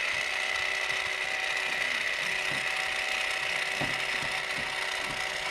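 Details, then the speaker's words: Battery-powered transfer pump draining gasoline-contaminated diesel from a 2500HD 6.6 Duramax tank (believed about 35 gal): thin steady high whine with uneven slurping rattle as the pump sucks mostly air, tank nearly empty after 20-25 gallons out. "can even hear the tank it sounds empty that's looking good I pulled out 20 25 full gallons"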